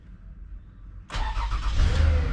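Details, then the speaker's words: 2008 Lexus, towed in with crank-no-start; after repairing broken coolant temperature sensor wire (reading -40, now 33): short quiet crank, catches at once and runs steadily; starts and runs properly, check engine light still on. "you go the car started up so the problem here is a coolant sensor wire was broken when we still got to check engine light"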